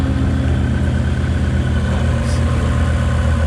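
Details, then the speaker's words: Ford Mustang 5.0 with newly installed Whipple supercharger and Lund Racing tune, first start, straight-pipe exhaust, fuel pressure about 48-50: deep, steady, even idle with smooth low rumble, no knocks or misses; normal idle. "Wow, this thing really got some exhaust, straight pipe."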